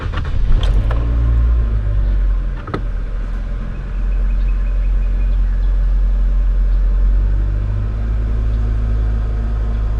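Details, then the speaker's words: 2014 Nissan Sentra 1.8L in park (previously idle hunting 600–1000 rpm, stalling, P0101 MAF code, low battery voltage): smooth, even low rumble, no stumbles; normal idle after repair. "now I'm in park right now and this thing is idling like a baby before this thing wanted to die all day"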